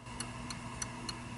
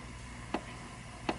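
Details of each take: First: Cactus Canyon Remake saloon door mech (Chicago Gaming upgrade kit), upper door switch after adjustment: sharp even ticks about every third of a second, then two louder clacks as the door moves, clicking cleanly on open and close. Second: Cactus Canyon Remake saloon door mech (Chicago Gaming upgrade kit), switch screw deliberately overtightened: two isolated door clicks with no switch snap between them; the bound switch is not opening.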